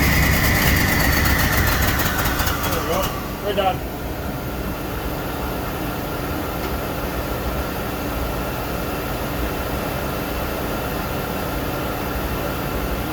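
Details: Chevy S10 street rod, homemade turbo setup with carbs, fired up after carb tweak: harsh start settling into lumpy idle with uneven beat, like a cylinder dropping in and out; rough idle, cause unconfirmed.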